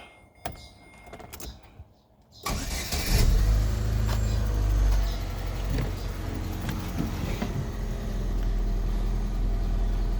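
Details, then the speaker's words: Chevrolet Utility 1.4 petrol engine after rough-idle repair: cranks, catches and settles into a smooth, steady idle with no shakiness or stumble; check engine light still on. "No shakiness, no nothing. No rough idling. The car is just smooth."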